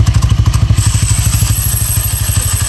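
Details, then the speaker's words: Honda Click 160 scooter with direct dry clutch, fitted with PZ Tech CVT cover after clutch housing overheated, rear wheel freewheeling then braked: heavy, fast low clatter, then denser even rattle; very loud but normal, not engine damage. "Yun lang. Grabe ang ingay. So taragis na yan. Sana kala mo may sira yung motor, no?"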